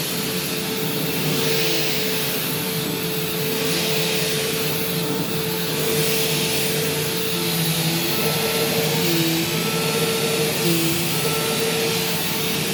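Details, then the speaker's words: Upright bypass-motor vacuum, belt just replaced, on a test run: a loud, steady motor roar with a high airy rush that holds even. It cleans well and is not defective, just a naturally loud machine. "so this thing does work and it has cleaned pretty well but it's very loud and it doesn't seem loud in like a defective sense it actually does seem like it's fully working these are just loud machines"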